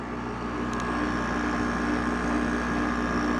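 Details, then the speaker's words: Haier window air conditioner fan motor after bearing replacement, compressor running: steady hum with smooth airflow rush, no grinding, rumbling or the former bearing squeak; bearings healthy. "now it's starting to freeze up which it usually does but as you can hear no more bad bearing noise"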